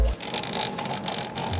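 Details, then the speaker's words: CT125 motorcycle drive chain after lubing with used gear oil (over-applied), turned by hand: even light whirring and soft ticking, no metal-on-metal scrape heard before; chain now quiet and well lubricated. "Pinarinig niyang ingay gear oil. Sinobrahan ko kasi, pero ayan na siya, tahimik na."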